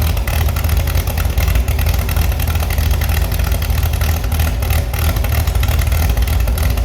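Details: Restored Chevy SS six-cylinder after lowering the fuel level: deep, steady idle with crisp, even throttle response and no stumbles or knocks; running healthy.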